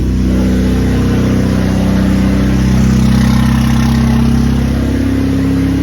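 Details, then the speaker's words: Just after the very first start of a 2JZ-GTE-swapped Lexus SC300 build: steady fast idle with a faintly uneven beat under the exhaust drone; a small intermittent stumble suggests a slight misfire, cause unconfirmed. "Sounds like there's a little bit of misfire, but yeah, start it up."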